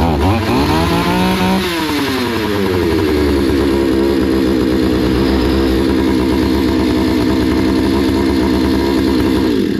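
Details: Hyundai 650 two-stroke chainsaw before repair: revs up with a rising buzz, holds a thin, hunting high run, then dies abruptly; stalls after starting, fuel supply seems insufficient, lean running; filter not clogged, settings untouched.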